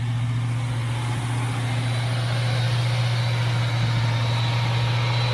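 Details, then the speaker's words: 1982 Chevy El Camino, V8, carburetted, dual pipes: deep, even warm idle, no miss, tick or hunting; idles perfectly now, though owner says it sometimes dies after running a while. "as you can see she runs great it does need this little bracket by the power steering pump to the header but it has a hard time right now it's idling perfect you would think the car is perfect"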